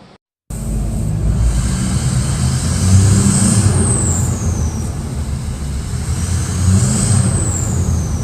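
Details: Junkyard 5.3 LS drag car engine with cam and springs only, naturally aspirated on turbo headers, first start: deep, choppy, lopey idle from the cam, running steadily; oil pan leaking.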